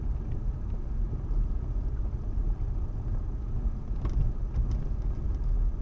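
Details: Steady road rumble while driving, with a few dull, irregular knocks breaking through near the end: a knock from the suspension.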